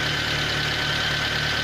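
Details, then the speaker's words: Nissan Bluebird after head gasket repair, cooling system work and oil change, distributor cap and HT lead just replaced: steady, even idle with no misfire; the engine runs cleanly. "beautiful I've just replaced the distributor cap and the HP lead so the ignition is now Bob on"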